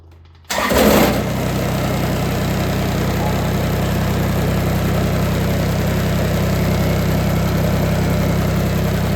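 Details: Kubota BX2360 diesel tractor after fuel filter replacement, fresh fuel and lines bled, pump primed about 30 seconds, following cold-weather power loss: brief crank, catches at once, steady even idle; normal start and idle.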